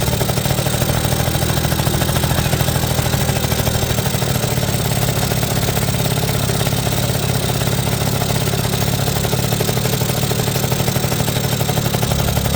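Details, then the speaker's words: 1980 Suzuki FS50 scooter, roadside find sitting an unknown time, run on oil-heavy fuel mix: steady, crisp two-stroke idle with an even buzzy beat throughout; sounds healthy, though the carburetor could use a little tuning. "and there it is sounds good seems to run pretty good could use a little bit of tuning on the carburetor still"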